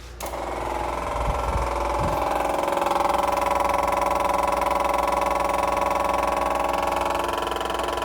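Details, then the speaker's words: MEP-803A generator under rebuild, after replacing a leaking gasket: a steady, even electric fuel pump buzz at constant pitch as it builds pressure with no leak. The pump is priming normally. "It's building pressure. Not squirting out there. You can tell the difference in the pump pitch."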